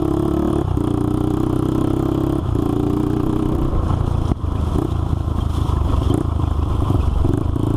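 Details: Honda 400EX single-cylinder ATV after crankshaft replacement for a locked-up engine, test ride pulling through the gears; raspy, popping exhaust note each pull from a broken exhaust header leaking pretty badly; shifts smoothly, new header needed.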